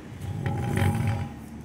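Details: Tire noise check: with the pulley on the middle of the evenly worn tread, a low, fairly even rolling rumble with no jumping or thumping; the side with high/low tread jumps and is noisier.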